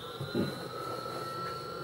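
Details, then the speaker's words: IBM 5155 Portable PC booting without a disk: steady airy roar with constant high whine from the power supply fan, sounding like a hard drive; fan unusually loud. "you can hear that power supply fan sounds like a hard drive it's ridiculous"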